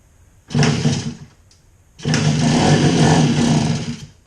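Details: 1966 Bridgestone 60 Sport two-stroke that sat 50 years, first start after crank bearing and seal rebuild, running on a little chainsaw gas in the carburetor: two short bursts of even running, each catching cleanly then dying; fires fine.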